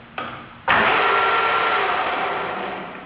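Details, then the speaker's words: Used South Bend GT-26T lathe, initial evaluation, running through spindle speed ranges: spindle spins up with a hard rushing whir and thin steady singing tone fading as it slows; possible gear noise in spindle gearbox, needs further investigation. "This might have sound like a gear noise."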